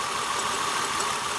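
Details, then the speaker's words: 2002 Acura TL idling during a coil-unplug misfire test: with this ignition coil unplugged the idle turns rattly and rougher, showing the cylinder had been firing. "and you can hear the engine rattle. It's a little rougher right now."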